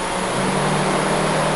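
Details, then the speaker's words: 2003 Subaru Outback being diagnosed for code P0483: both radiator cooling fans switch on at about 203°F, giving a steady loud rush of air and low motor hum over idle with no rattles or rubbing. The fans work normally and coolant temperature should drop. "oh I don't know if you can hear it or not but the fans just kicked on so it looks like they kick on at 203 yep I just went look both fans are are running"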